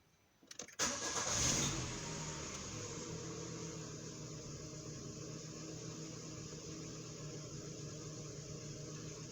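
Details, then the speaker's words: Citroen Berlingo TU5JP4 petrol engine just after oil and cartridge filter change: quick crank, clean start, brief rev, then steady even idle as the filter housing fills; oil pressure light goes out, healthy. "Все, леечка не горит, давление масла есть."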